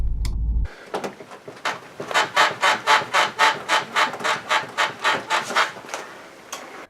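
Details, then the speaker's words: 2004 Subaru WRX STi front right suspension, squeaking only on cold mornings, dampers on softest setting, car pushed down by hand; rapid rubbery squeak-creaks about four a second, traced to the rear hydro bushing of the lower control arm. "well I traced it down to the lower control arms rear bushing it's a hydro bushing means it's filled with some type of oil for noise vibration and harshness"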